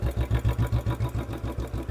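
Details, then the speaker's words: Royal Enfield Bullet 350 BS4 single at idle, mixture set lean (less fuel) for backfire; slow soft slightly uneven thump around seven beats a second, idle dropped from the lean setting. "क्योंकि तेल कम जाता है road पर चलते हैं इसकी आवाज"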